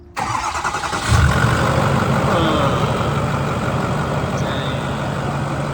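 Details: Ford 6.4 PowerStroke F350 diesel with quarter-tank fuel starvation, after pickup tube filter replacement and fuel priming: cranks briefly, catches cleanly, settles into steady even idle without stumbling or hunting; normal start and idle.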